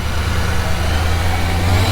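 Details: Salvage Ford F150 Harley-Davidson truck with an expensive built engine: a deep, loud, steady roar with an even low rumble and no knocks or misses, much louder than expected but running normally.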